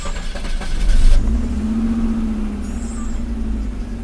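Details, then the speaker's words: Circa-1990 Audi 90, after repair of a broken distributor part and vacuum leaks: it cranks briefly, then settles into a steady even idle with the air conditioning on, and the idle motor works normally. "The idle motor is currently operational. The air conditioning is on."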